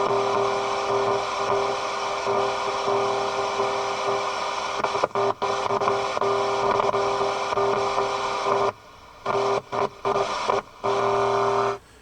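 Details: Motorola BT16BN tube AM/FM radio tuned near 88 MHz at the bottom of the dial, tuning slug wiggled: broadcast drops out sharply in quick bursts; intermittent reception, suspected dirty contact fingers or a cracked circuit trace.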